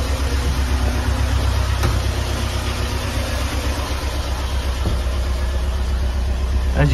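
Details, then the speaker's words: Flood-damaged Porsche 968 first start after a long time, cold, not yet warmed up, oil pressure good: steady idle with light quick ticking about four a second from noisy hydraulic lifters, expected to calm down. "these hydraulic lifters are still very noisy but they will calm down"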